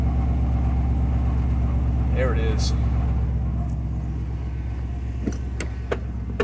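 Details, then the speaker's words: 2002 Chevrolet Silverado 2500HD 6.0L gasoline V8 with codes P0300 and P0332: rough, loping misfire at idle, possibly blue exhaust smoke; owner fears a head gasket or cracked head and is considering plugs and wires. "hear how rough that is"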